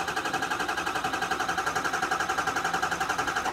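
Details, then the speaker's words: 2007 Ford F250 6.0L Power Stroke diesel with rough hot idle and pending P0263 cylinder 1 code, cranked via starter wire to battery, key out: even cranking about four pulses a second, no dead cylinder sound; base engine judged sound. "you guys heard that it was a very even kind of cyclical pattern there wasn't like a dead cylinder sound anywhere in there"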